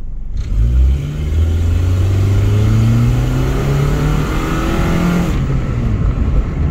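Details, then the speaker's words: 2000 Saturn SW wagon, a factory right-hand-drive postal model (one of 450), accelerating on the road: a loud, blatty low roar rising with speed, louder than stock because of an exhaust leak; the struts are also noisy. "oh yeah she goes she likes it she definitely she'll go she's a little loud uh because of the exhaust leak but it's not like super obnoxious and it won't last forever"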